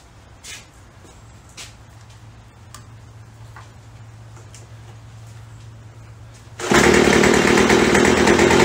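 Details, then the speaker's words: Craftsman (MTD) B2000 two-stroke blower after carb cleaning, carb kit and trigger modified to fully close throttle: quiet hum and taps, then catches into steady high buzzing idle about 2800 rpm (previously about 4000); taking throttle nicely. "2800 that's a nice honor taking throttle nice"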